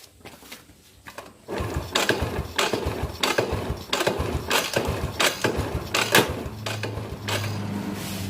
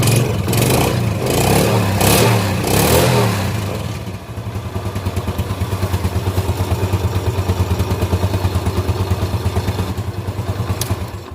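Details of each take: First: Yamaha Jupiter Z that won't start, cranking while a jumper on the white wire from the regulator (kiprok) socket is touched to the body: uneven starter whirring and no firing. No spark, so the white wire from the coil is suspected broken. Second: Yamaha Jupiter Z carburetted motorcycle after no-start diagnosis confirming fuel, compression and spark: after a few blips, engine settles into an even, steady putter of about three beats a second; running normally again.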